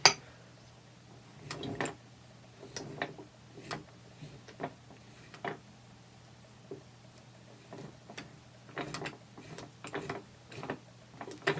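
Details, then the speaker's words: T96 transmission overdrive turned by hand on the bench: quiet turning with light clicks and taps as the sun ring stops rotating when the blocker ring hits the pawl, with gear movement noise between. Normal overdrive blocker action. "Ignore the noise of the movement of the gears. Just a little click, little tapping sound."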